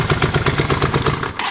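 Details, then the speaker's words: Yamaha Virago V-twin idling: loud, spaced single thumps with no even twin beat; engine kept running when front plug cap was popped, so front cylinder is thought not firing, a dead-cylinder misfire. "yeah yeah all right guys i think the front cylinder is not firing uh we pop the spark plug it carried on so as in the engine stayed on"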